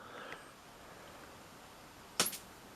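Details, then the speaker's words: Sony KV-M1421U CRT TV, standby transistor shorted and line drive transformer reconnected: quiet room, then one sharp static crackle at switch-on as EHT comes up, channel number on screen; set was only stuck in standby. "on well I heard EHT come up yeah got channel number on the screen so all that time spent there was nothing actually wrong with this in the first place it's just in standby"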